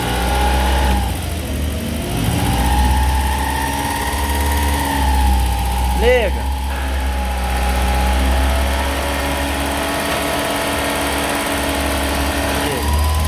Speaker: Esse é o barulho que o compressor faz quando liga e desliga.